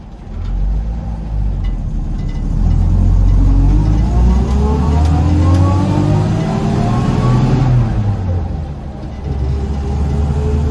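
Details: 1972 Toyota Land Cruiser FJ40 on a drive, clutch feels weak: clear whine rising in pitch with road speed as it pulls, dropping as it slows; gear whine from the transmission.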